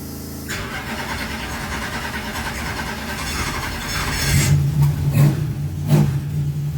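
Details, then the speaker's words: Race car engine, first start after valve clearance check and oil and filter change, not yet warm, battery 12.3 V: catches quickly, settles into an even idle and takes clean throttle blips without misses. "So good news, it runs. Happy days."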